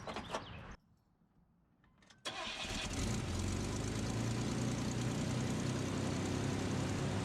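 Quiet pause, then the starter cranks and the engine catches cleanly, settling to a steady idle without belt squeal or slap.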